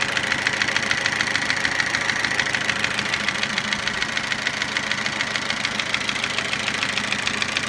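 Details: Toyota Avensis engine after sleeving, new piston rings and timing replacement: steady idle with a sharp regular tapping, roughly a hundred knocks a minute over the engine note; internal engine knock after rebuild.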